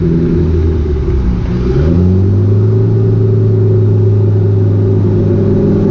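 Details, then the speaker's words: Cummins turbo swap, first drive after install: loud deep engine note rising as throttle opens then holding a steady drone, pulling cleanly with no knocks; running good and loud. "i'm gonna drive it a little more but there you have it it's running good and it's loud"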